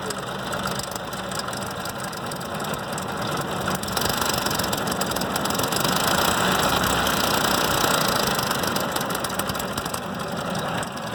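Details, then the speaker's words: 2004 Ford Expedition 4.6 L V8 idles with a loud metallic rattle, about 3–4 beats a second, and nearly stalls; owner unsure whether it is the timing chain or a lifter. "alright got here 2004 expedition 4.6 liter its maker the crazy rattling noise not sure if it's a timing chain or could be a lifter"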